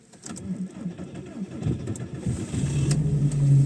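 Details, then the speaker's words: 2001 VW Golf MK4 1.6 SR petrol, cold start after sitting about a month buried in deep snow. A short crank, then it catches at once and settles into a steady, even low idle; a healthy cold start. "Oh, yeah. Not a problem. Cool. Nice. Now I just need to shovel the rest of the snow while it warms up."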